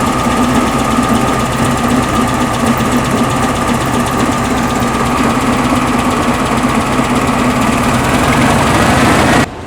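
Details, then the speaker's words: 1974 VW Beetle air-cooled flat-four with Dual 34 carbs after engine tune, valve cover leak pending: even steady idle, smooth buzzy beat, no knocks or misses; engine sounds healthy. "the engine's dialed she'll start she runs um it sounds healthy which I'm happy for"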